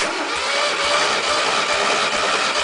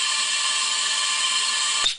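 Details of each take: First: 1600 VW engine, about 100,000 miles, compression test with plugs out: steady starter whir with even compression pulses, cylinder one about 115–118; runs rich at idle, cylinder two suspected slightly burnt exhaust valve. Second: VW 1600 air-cooled engine leak-down test with compressed air through spark plug hole: steady hiss for about two seconds, then cut off; air escaping past a likely burnt exhaust valve, possibly rust holding it open (owner doubts).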